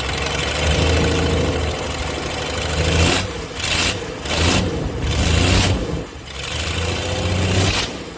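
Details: 1996 Dodge 2500 diesel idling cold with no exhaust hooked up, still burning off oil after turbo failure: loud uneven clatter with a light tick over low rumble and surges; shakes, always ticked when cold.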